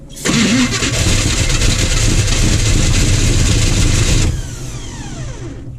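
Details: 1980 Chevy K30 small-block 350, first start attempt in winter: starter turns the engine over steadily, about three beats a second for four seconds, never catches, then stops; cranking with no ignition.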